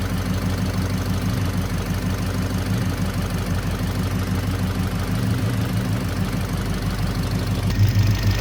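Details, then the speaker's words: 1968 Chevelle wagon V8 idling: light, somewhat uneven electrical tick about three per second from one side, suspected to come from a spark plug that was earlier dropped on the ground. "I don't know if you guys can hear that, but I hear a ticking down here. Like an electrical tick. I'm hearing an electrical tick on this side."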